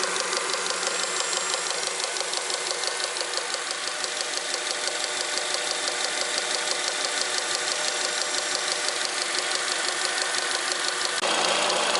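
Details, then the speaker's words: Honda Accord 7th generation at idle under the hood: a steady, even knock about twice a second, first of unclear origin. It was traced to the power steering pump. "всем привет во время работы двигателя образовался какой-то подозрительный стук непонятно откуда идет"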